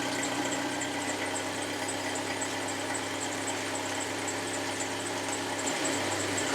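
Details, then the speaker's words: 1998 Jeep Wrangler 2.5 liter with Flowmaster mufflers: steady even idle with throaty exhaust rumble, no irregular beat; healthy idle, though a small belt squeak is developing. "there you go it's got a nice little rumble - with that poem as the muffler"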